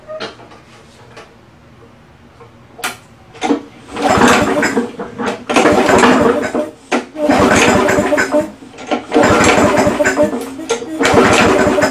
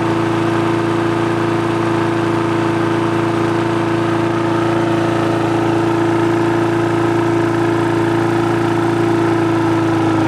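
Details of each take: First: Free old push lawnmower with starting problem, oily and with an old, slow primer bulb: repeated rope pulls, short whirring cranking bursts with no firing; won't start, air filter found fully clogged, timing issue also suspected. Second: Push mower that had a starting problem, after carb cleaning, a new diaphragm and gasket, and a replaced spring: smooth, steady buzz with no knocks or surging while the rpm is adjusted via the spring levers. Normal running.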